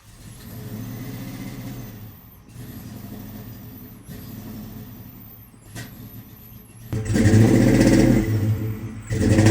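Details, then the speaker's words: Procharged 1996 Mustang GT with the tuning chip unplugged, broken battery terminals and a cut ground wire; plug wires confirmed in the correct spots. The engine surges and sags on throttle blips with loud pops and bangs; rough running with backfiring, cause unconfirmed. "We can obviously hear the car backfiring like crazy."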